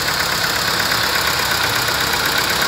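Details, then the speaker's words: VW Vento with check engine light, codes P3000/P3001: unsteady, uneven idle from cylinder 1 misfire, traced to a failed ignition coil. "aquí estamos viendo cómo nos falla el motor está inestable"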